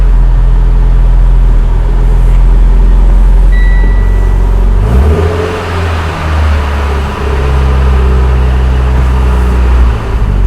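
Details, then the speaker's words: Mitsubishi Evo X with new Exedy twin-disc clutch, about 200 hp added, just installed and bled: low steady engine hum with faint gritty scrape rising with rpm; normal multi-disc clutch noise. "that sound right there totally normal now this system is significantly quieter than a lot of the ones I've heard but that little kind of grindy scrapey sound you hear with RPMs there [Music] totally totally normal nothing to worry about at all"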